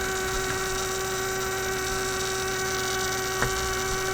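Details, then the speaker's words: Steady low hum with a clear tone around 400 Hz plus overtones from a 1967 Heathkit Electronic Projects Kit AM transmitter build; the noise continued with the coil and power disconnected, proving the bench power supply was producing the hum. "now i've disconnected the power from it is still making this noise how the heck does that work discovered something new the single wire power supply okay so my supply is simply putting out this noise here"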